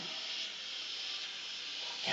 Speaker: no the audio part is whatever you're going hear the hising S kind of take it pulls it off